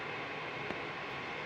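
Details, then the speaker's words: Diesel heater in generator room going through shutdown procedure: soft steady airy blower rush with a little warm air still coming out, no burner roar; normal cool-down. "So this is still going through the shutdown procedure. Little bit of warm air still coming out, but that's part of this process."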